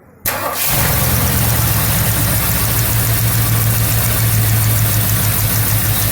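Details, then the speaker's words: 1977 Mercury Marquis, Ford 400M V8, run 10-20 seconds with one valve cover removed after new plugs and wires: fires right up, steady even low idle rumble, no misses or knocks; oil visibly pumping to the top end, no sludge, healthy. "It's definitely pushing oil, so Yep. ran it for like 10-20 seconds."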